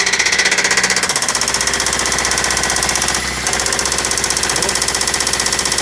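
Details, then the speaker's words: Toyota Celica with newly installed JDM replacement engine knocking badly at idle on startup, worse than the previous engine: sharp, steady metallic knock about three per second; told it might be carbon buildup on cylinder tops, cause unconfirmed. "we tried to start it the engine was knocking just extremely bad sound is so horrible even worse than the the last one that i had"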